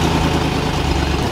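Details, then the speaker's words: Steady idle with a faint puffing tick riding each firing pulse, heard before lifting the vehicle to inspect; exhaust leak, whole exhaust system later repaired. "yeah there's a little noise there so i haven't looked underneath we're gonna lift it in the air and check it out see what it is"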